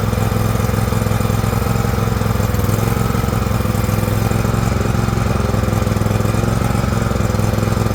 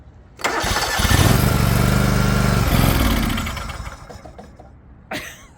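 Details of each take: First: John Deere LX178 with a liquid-cooled Kawasaki twin, run on a rainy day: chugs with a slightly uneven, loping, rich beat while the carburetor floods and leaks fuel onto the muffler. It had quit when slowed down. Carburetor flooding. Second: Liquid-cooled Kawasaki twin in a non-running John Deere LX178 project mower, after refitting the ignition switch and a replacement ignition module: cranks, catches at once, even twin beat for a few seconds, then winds down; starts and runs cleanly.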